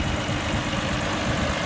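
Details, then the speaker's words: 1967 Rambler 199 six after new exhaust manifold gaskets, heat valve fix and new manifold spacer gasket: smooth, quiet idle at about 650 rpm, fan louder than the engine, no ticking, puffing or misses; normal idle. "And if you notice, listen how quiet it is now compared to before. The only thing you can hear is the fan. The fan is actually louder than the motor running."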